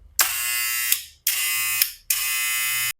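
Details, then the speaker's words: Barber clipper with magnetic motor after maintenance, blades aligned: switched on three times, each a clean steady high buzz cutting off sharply, consistent; turns on and off correctly, healthy motor. "Prende y apaga correctamente."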